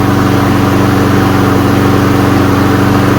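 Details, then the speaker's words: Roadside-find self-propelled walk-behind mower, small single-cylinder engine, after cleaning and a dirty air filter being washed. A strong, even drone holding steady speed with regular firing and no stumbling, knocking or surging; sounds good, no smoke. "But there it is. It's a runner. Sounds good. Doesn't smoke."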